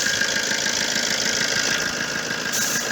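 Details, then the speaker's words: Opel Corsa 1.3 diesel after repair of an exhaust manifold gasket leak that caused a turbo-like whistle: even idle, normal light clatter, about three pulses a second, no whistle. "ben video ve temiz lisesi göstermek için gel ağabeyleri bu şu anda çok şükür sorun yok"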